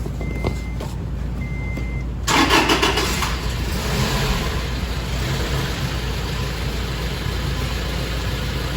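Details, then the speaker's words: Rebuilt Toyota engine after plugging in the coolant temperature sensor, which was unplugged and reading overheating: dash chimes, crank, catch and steady even idle without stumbling, throttle untouched; healthy. "not touching the throttle that sounds better I plugged in the coolant sensor oh now it knows its temperature so it was reading that it was overheating"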